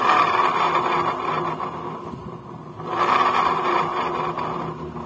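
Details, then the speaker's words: Honda Vario 150 scooter rear wheel growling even when pushed with the engine off: rough scraping growl pulsing about four times a second from a rusty rear wheel bearing. "oke suaranya jelas banget ada di area belakang dan kepentingan"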